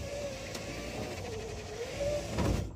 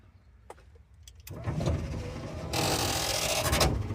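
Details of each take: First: And a short time later, I have two working windows. Really need to grease those things before they burn out. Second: Power window on a car revived after 27 years, rewired without a diagram; motor whirs then runs louder and labored, window moving slowly and straining; owner thinks the dry slide rods need grease, so he greased them afterward.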